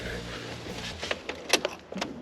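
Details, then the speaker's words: Mazda Miata with used fuel pump sending unit plugged back in, key turned on: brief steady low hum then light clicks, a fuel pump priming normally and confirmed working. "Uh, yes. That is the sound of a working fuel pump."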